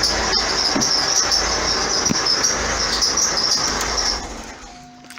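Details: 2009 Vauxhall Astra diesel, complaint squeaky belt and knocking underneath, first start-up: steady high-pitched squeal over the running engine; alternator pulley loose, riding up and down its shaft and chafing the belt.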